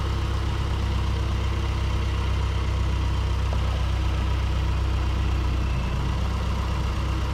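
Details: 2008 Mazdaspeed 3 turbo petrol idling after CorkSport high-pressure fuel pump internals install, before road test: steady, even low rumble with no misses, knocks or hunting; running smoothly and healthy.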